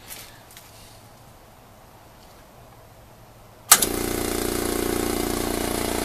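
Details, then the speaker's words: New Makita MAC700 compressor starting from an empty tank with the preset thought to be 120 psi: sharp switch-on, then it settles straight into a steady, even hammering hum; normal start. "I'm going to use my stopwatch here, and we're starting with 0 pressure in the tank just to show you how long it takes to go from 0 to the what the current preset is, which I think is 120 psi."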